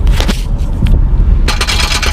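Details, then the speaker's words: S197 Ford Mustang with a highway rattle that persisted after transmission and clutch repair: rough, scratchy metal scraping in uneven bursts as the underbody panel is shaken by hand; loose splash shield rubbing the metal suspected as the source. "this is exactly what I'm hearing. And you can see that these bolts right here, I don't know where this goes, but I swear this is the exact noise that I'm hearing."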